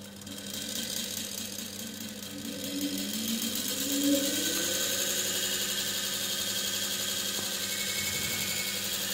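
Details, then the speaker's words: DC treadmill motor run on the bench: steady hum with harsh hissing scrape and heavy vibration as the armature shaft rubs the stator, causing motor heating. "it have some noise this noise it is indicating that the rotor the armature shaft is touching to the stator so it will cause to heat up the motor"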